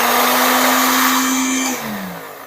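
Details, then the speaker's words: Philips blender after the motor was repaired (before, only speed button 5 worked): high steady motor whine at constant pitch through speeds 1, 2, 3, then a smooth wind-down at switch-off; the motor runs normally. "Setelah kita benahi dinamonya, kita tes kembali. Dan kita tes. Nomor 1 berputar, nomor 2 berputar, nomor 3"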